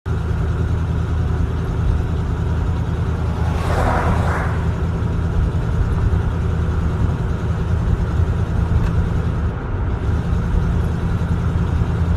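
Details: 1983 307 V8: deep, uneven rumble at idle with slightly loping beat, no clear knock on top; rough idle.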